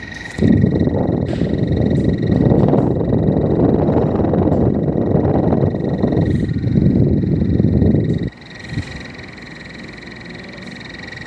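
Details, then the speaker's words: Split AC indoor unit: coarse, croaking rattle pulsing about three to four times a second over the blower fan; the worn, loose bearing assembly opposite the motor needs replacing. "तो यह कुछ assembly क्या है ढीला हो गया खराब हो गया है तो उसे असेंबली को चेंज करना पड़ेगा"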